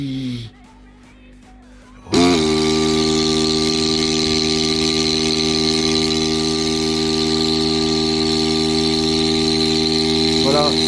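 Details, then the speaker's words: Philips PerfectDraft beer dispenser after repair of power supply (three 16 V capacitors) that stopped cooling, pump and display: pump switches on and hums steadily at constant pitch without rattling, no keg fitted; pump works normally. "voilà on y est là la pompe elle fonctionne ok voilà il n'y a pas de bidons c'est normal"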